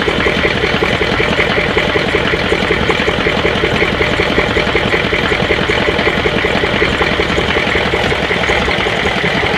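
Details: 6.5 diesel idling while misfiring, heard near the exhaust with the lift pump working: loud clatter and an uneven, lumpy beat as one cylinder drops out.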